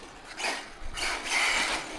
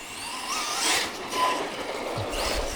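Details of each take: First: HPI Vorza S Flux truggy with Draco Precision upgrades on 6S: motor whirs in short bursts with a ratchety rattle but nothing drives; loose grub screw on the rear outdrive (first thought loose pinion), retightened to restore drive. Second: HPI Vorza S Flux electric truggy with Draco Precision upgrades. The electric whine climbs and falls with throttle at flat out, with no clicking or grinding; the issue seems solved, and threadlocker is planned.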